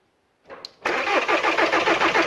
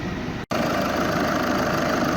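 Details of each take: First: VW 2.0 TDI after a timing belt job, engine resting on a jack without mounts. Even cranking for about two seconds, then it fires and dies: fuel system not bled enough. After re-bleeding it ran perfectly. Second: VW 2.0 TDI after timing belt job, warm: smooth, even diesel idle with a soft steady clatter, no knocks or misses, heat circulating and no leaks.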